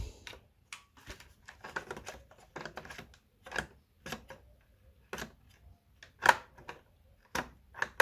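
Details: Logitech G910 keyboard after switch repair and reassembly: crisp single clean clicks at an uneven typing pace, no doubled or missed strikes; switches working normally.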